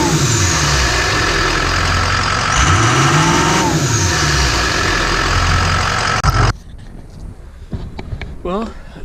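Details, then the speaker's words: 2004 Ford F-250 6.0L Powerstroke diesel just after installing charge pipes, coolant filter and external transmission filter: fires up and revs cleanly with rising, falling pitch and a stronger whoosh of exhaust air than before; normal start and rev. "you can hear the air coming out of the exhaust almost a bit more which is uh always nice to hear um that's I think much better than it was"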